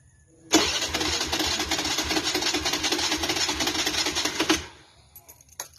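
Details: TVS Dazz 110 scooter. About four seconds of uneven starter cranking that never settles into a steady idle before cutting off: hard starting.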